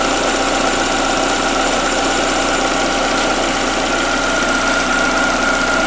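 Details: Skoda Fabia 1.4 BKY with automatic, after engine rebuild for piston slap (owner's complaint: cold-start and under-load noise); odometer just over 200,000 km. Steady, even idle with a smooth whir and no tapping or knocking; healthy after repair.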